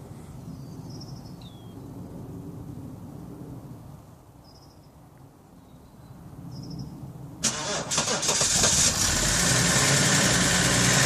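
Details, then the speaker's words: 1997 Vauxhall Omega Elite estate, BMW M51 six-cylinder turbo diesel, automatic, unused for 18 months, first cold start after glow plugs: cranks, catches cleanly and settles into an even, steady diesel clatter; small exhaust leak noted afterward. "First startup. Just wait for those glow plugs."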